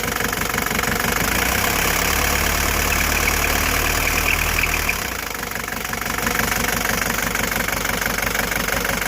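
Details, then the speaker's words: 1983 Mercedes-Benz 240D diesel, just jump-started on a cold day after sitting 5 years, with no adjustments made: a steady, even clatter at about four knocks a second with no misses or hunting. It is a healthy idle. "I have not made any adjustments. This is how it's idling after sitting for 5 years."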